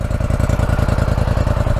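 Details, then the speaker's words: 2014 Polaris Scrambler 850 quad, fuel-injected, 2,000 miles, just started with the key: quick, even firing pulses and a steady low rumble at idle, no knocks or misses. Owner says it runs perfect. "so this one it has 2,000 miles on it it obviously runs perfect it's was really nothing wrong with it"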